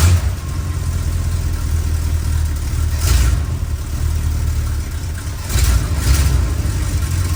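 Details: 1962 Chrysler New Yorker, 440 V8, cold before carb tune-up: deep idle with two throttle blips rising uneven and hesitant, sputtering on acceleration; owner says mostly because it's cold and slow to warm, cause not confirmed.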